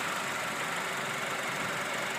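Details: 2012 Honda Civic EX at 28,500 miles, idling; a busy, clattery metallic knocking rattle persists after the dealer replaced the tensioner belt and oil pump, and the engine is to be replaced.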